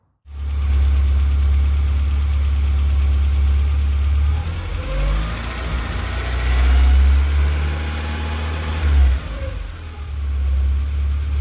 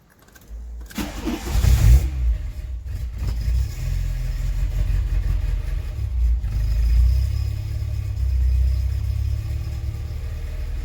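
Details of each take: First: Mk2 VW Golf petrol engine idling high and misfiring for about a week: fast, uneven idle nearly stalling with the blue-connector sensor plugged in, runs fine unplugged; owner suspects a faulty temperature sensor. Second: Mk2 VW Golf petrol engine after a misfire and high idle were fixed. Cold start: it cranks, fires, dips briefly, then settles to a steady cold-start fast idle of about 1200 rpm, no longer excessively high. Normal.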